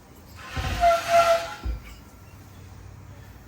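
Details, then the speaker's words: Harbor Freight 21-gallon air compressor, about 15 years old, that kept cycling on and off. Sharp burst of air hiss for about a second at the check valve, which isn't seating; fixed by tightening the coil spring on the seal side. "can you hear that uh sure this just isn't seating properly I think this is a check valve"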